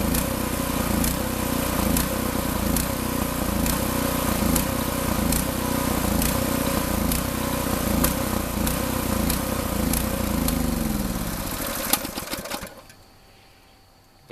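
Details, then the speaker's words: New Predator 6.6 HP 224cc OHV horizontal-shaft gas engine, first test run, run dry deliberately for storage: runs steadily, then surges and dies out around twelve seconds as the fuel runs out, then silence. "that's what it sounds like when it runs out of fuel always a good idea to run these out of fuel when you're when you're going to park them for a while"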